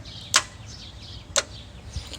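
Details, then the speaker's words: 2002 Dodge Ram 1500, no crank, starter relay jumped; two sharp single clicks about a second apart with no cranking after either; solenoid engages but the starter motor is dead. "let's hit the switch and actually listen to that started just click do it one more time"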